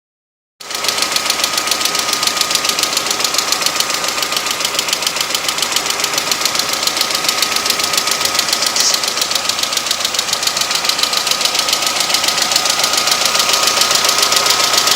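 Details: Honda H23A petrol engine running with a quick, regular, sharp high tapping from the head plus a low knock; owner wonders if it's early rod knock, cause unconfirmed.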